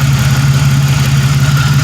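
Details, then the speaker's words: 1997 Pontiac Grand Prix GTP coupe idling before its planned oil change: a smooth, even low hum with a steady quick pulse and no misses or knocks; normal, settled idle. "man it sounds good i am going to end up doing the oil change on itself with my kn filter and that mobile world since i'm driving this and it's good and it's running so"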